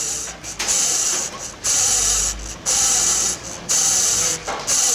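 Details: Mercedes A200/B200/GLA200 1.6 turbo with a noisy water pump: about one gritty, ratcheting rasp per second as the pump is turned by hand; worn water pump bearing.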